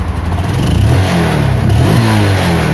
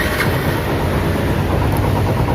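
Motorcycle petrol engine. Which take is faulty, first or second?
second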